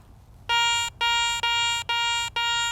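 Five short, clean beeps of identical pitch at about two per second over a quiet room; the detector's target tone, working properly.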